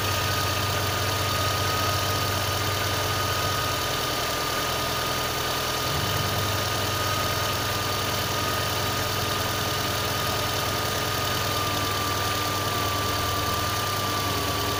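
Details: VAZ 2112 engine at cold start, even idle: faint, uneven knocking under a steady hum; source not identified.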